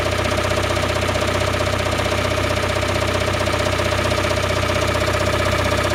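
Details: Toyota Raum 5E-FE petrol engine knocking after an engine rebuild: a steady, very regular knock at idle, about two per second. Cause unknown.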